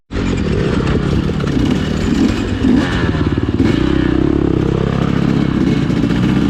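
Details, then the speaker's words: 2020 KTM 250 XCW TPI two-stroke before the fix. Loud, low-revving engine burbles and gargles unevenly below 1/4 throttle instead of running crisp. Fixed by swapping the cylinder pressure sensor with the ambient sensor. "if you're having a problem with the um the way your bike's running down low it sounds real gargly not clear"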